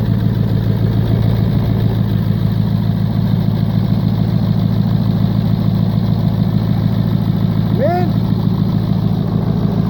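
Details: 1996 Ford F-250 7.3 Powerstroke diesel at about 50°F, earlier died while driving from air drawn into the fuel lines. Deep steady idle with even clatter, no stumbling or surging; fuel delivery sounds healthy now.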